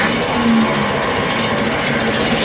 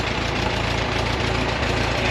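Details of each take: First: LeRoi four-cylinder gas engine of a Bantam T35 crane on a 1945 GMC 6x6, sat 8+ years, just started after choking and fuel trouble: a loud, dense, unbroken roar at wide-open throttle, too fast. Oil pressure came up. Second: 1945 GMC CCKW353 6x6 carrying a Bantam T35 crane, LeRoi four-cylinder gas engine, restarted after 8+ years sitting: low, steady, even chugging with no knocks. It runs smooth, with good oil pressure despite a little blow-by.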